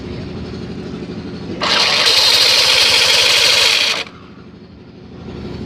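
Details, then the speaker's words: Yamaha NMax at start-up: loud harsh grinding roar louder than exhaust, then low idle; cause was loose CVT cooling fan rubbing as it spins. "bukan WAnya yang geser tapi kipasnya yang menggeser berputar bergesekan dengan ini blognya seri suara serai"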